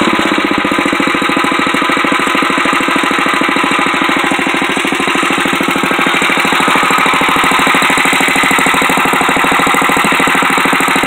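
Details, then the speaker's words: 1962 Wheel Horse 552 garden tractor, single-cylinder engine not yet warmed up, fast steady chug with a hard buzzing rattle on every stroke like loose sheet metal; owner does not know the source and suspects something vibrating. "That noise that's in there, I don't know what it is. It's probably something vibrating."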